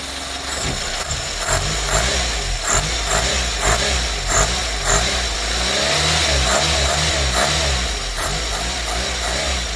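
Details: Carburetted Renault 5 small petrol four, still cold, with new air cleaner fitted: idles steadily, then blips rise and fall cleanly with a modest intake rasp, less bark than the owner expected; runs evenly, normal idle and revving.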